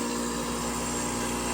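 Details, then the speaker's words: Fluoromizer 3500 refrigerant recovery machine being repaired, compressor drawing about 4.5 amps: steady, even compressor hum with constant buzz, no knocks or rattles, building pressure and suction; running normally. "only 4 and 1/2 amps you can hear it vibrating away pumping like a little dog"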